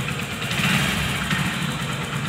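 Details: Hero HF Deluxe BS6 motorcycle after fixing rpm rising and falling on its own (displaced rubber reseated, clip tightened): small single ticking over at steady, even idle, revs no longer hunting.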